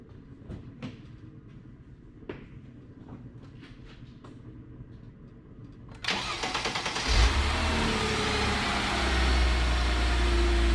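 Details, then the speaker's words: Mercedes SLK32 started after a supercharger fluid change with serpentine belt, idler pulleys and secondary air hoses refitted: quiet clicks, then the starter catches and settles into an even, steady idle; everything sounds good. "Alright, everything sounds good to go on the Mercedes, so in the next video I will be doing rear brake pads."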